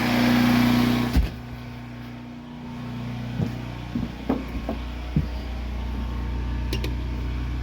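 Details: Predator 8750-watt Harbor Freight generator after carburetor replacement to fix a no-start, started on choke with electric start and a new battery: a tone cuts out, then an even hum continues; it runs much quieter.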